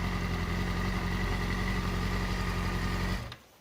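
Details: 2008 Yamaha R6R after installing a manual cam chain tensioner, adjuster turned in by hand then backed off a quarter turn: smooth, even idle with no cam chain rattle.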